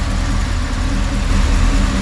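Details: 1988 Chevy Camaro IROC with Tuned Port Injection, diagnosed for stalling on throttle input, idling warm after distributor timing adjustment. Even low V8 rumble, no misses or surges, vacuum steady around 16. Normal smooth idle.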